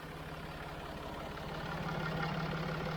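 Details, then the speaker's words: Jaguar XF 3.0d diesel idling after a loose part was reseated that was letting air out and whistling in the engine bay: steady even idle, low regular beat, no whistle; noise gone. "that was letting a lot of air out down there and it was making a hell of a whistling noise which i could hear in the engine bed i think it was that noises disappeared"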